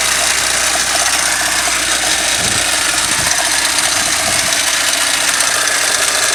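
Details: Toyota 5A-FE engine at idle: light, uneven tapping a few knocks per second over a hissy idle; play on the crankshaft gear key behind the crank pulley.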